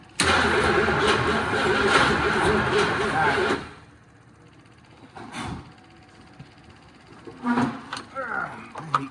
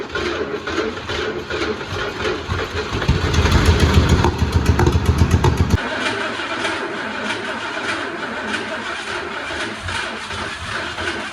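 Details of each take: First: 1979 Ford F-350 Ranger XLT 4x4 with 351, first start after 40 years sitting: steady, even starter chug for a few seconds, then silence; never fires, prolonged no-start crank. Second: 1979 Ford F350 Ranger XLT 4x4 V8, possibly 351, after 40 years sitting, old ignition removed and thicker ground cable fitted: cranks and catches, brief rev, then steady low rumbling idle; running normally.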